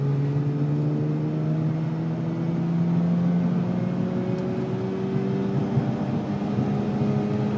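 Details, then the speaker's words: Mazda RX-8 rotary in second gear on a test tune; engine pulls sluggishly with a low drone that nearly flattens out; no misfires seen in logged data yet; bogging under acceleration. "bogging down I hear it I don't see any misfires yet I'm hearing it"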